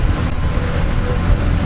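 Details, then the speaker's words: 2016 Bentley Continental GT after engine installation, finished: deep steady rumble, even note, no knocks, misses or ticks, no check engine light; purrs like a kitten, normal running. "Purrs like a kitten. No check engine light, no nothing."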